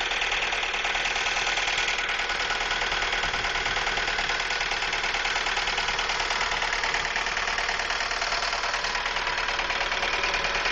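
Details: Ford Focus at idle with a loud, harsh metallic clatter of about three knocks a second from the engine area, diesel-like; stalls at lights, lean code, new used MAF, smells rich; engine knock, cause unconfirmed.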